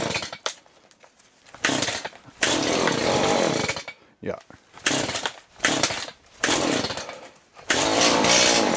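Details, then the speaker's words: Chainsaw cold start after choke released, new fuel filter: catches in short bursts then falls away between pulls, not settling; owner suspects new filter still filling with fuel. "It's a new filter, so I'm imagining it's sucking up fuel into that now. Which we'll probably have to do that a little bit more."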